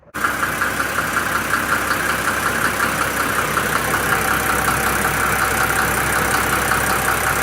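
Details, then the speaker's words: Mercedes OM603 diesel with 422,000 miles, after radiator flush, new thermostat and gasket and refilling 10-litre cooling system following an overheat: even diesel clatter at steady idle, a little under three beats a second, no misses; idling healthily. "Yeah, running pretty good."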